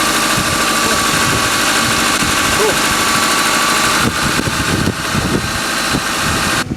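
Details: 1999 Toyota Camry four-cylinder started with a portable jump starter pack: engine catches and settles into a steady, even idle with no misses or knocks; normal, healthy start and idle.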